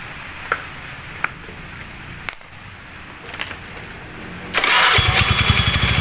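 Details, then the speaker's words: Honda Beat carburettor scooter just fitted with PE24 carburettor, intake hose blown clear, first start: a few clicks then a fast, busy idle with quick even pulses; idle speed set too high, before air-screw adjustment. "nah ternyata langsung cuy dan langsamnya gede ini cuy kegedean ya"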